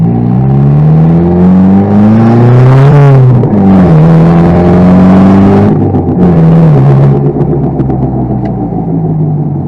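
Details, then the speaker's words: 1992 Toyota Tercel 4-speed manual with 120,000 miles driven through the gears; uneven clunking under load from a front CV axle with no boot; CV axle noise. "That's the axle. It's the axle that's making that noise."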